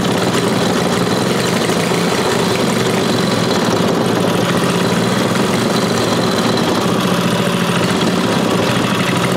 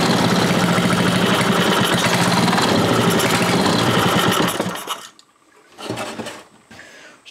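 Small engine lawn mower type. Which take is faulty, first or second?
second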